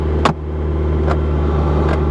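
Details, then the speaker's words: Car with a manual clutch that needs a carburetor and cleaning: steady idle that stays too high with light ticks; if brought down it eventually dies; cause unconfirmed. "everything else works like it's supposed to though it idles too high if you can get it to idle down eventually it will just start dying"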